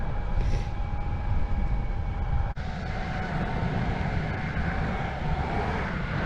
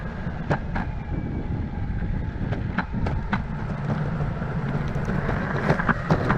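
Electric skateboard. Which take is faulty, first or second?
second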